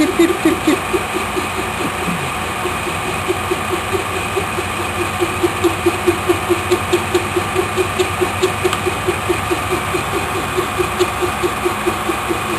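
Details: Lathe turning a racing pulley, centre hole drilled slightly off so the face is off-centre: rhythmic ticking about twice a second over steady machine hum as the tool skips, an interrupted cut.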